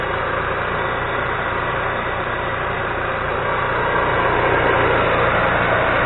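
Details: Micro Quiet 4000 W genset after fixing vibration-broken fuel pump wire (no-start repair): settles into a steady, even drone rising slightly as it picks up load; runs smoothly, nothing abnormal.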